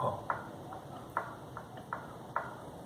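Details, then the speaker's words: Recently fitted aftermarket "prepared" shock absorber worked by hand gives sharp, hollow metal-on-metal knocks about twice a second at its travel limit. "esse aqui no caso está fazendo barulho de ferro com o ferro"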